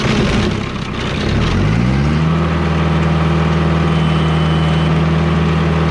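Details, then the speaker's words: Sawmill hydraulic system after replacing a valve whose spool blew by, blowing out a plunger and leaking oil: engine revs and settles into a steady smooth hydraulic hum with no chatter. Cylinder now runs in and out without drifting. Fixed. "well it looks like that fixed a problem we have a guy that runs in and out uh all the time now like it's supposed to it does not drift like it was doing looks like that fixed a problem"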